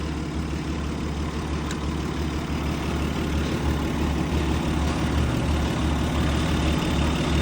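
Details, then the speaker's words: Abandoned 1951 Dodge six-cylinder, just revived after fitting a new fuel pump and battery: low, even idle about three pulses a second, steady with no knocks or misses; normal idle. "That old Dodge 6-cylinder is running like a fucking song, ladies and gentlemen."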